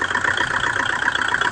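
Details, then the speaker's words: Kubota rotavator small diesel that would not start, running again after starter refit and battery reconnection; quick, even chug with no knocks or misses, running properly. "Andar na siya guys."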